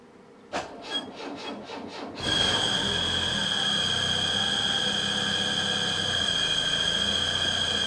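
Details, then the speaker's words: Citroen CX GTi, first start after a head gasket job, skimmed head and valve adjustment: a few cranking bursts, then steady running under a constant high-pitched whine; suspected fan or hydraulic pump, later said to be the generator, engine fine. "I really hope that is the fan still. I don't know why it's making that sound. Could it be the hydraulic pump maybe?"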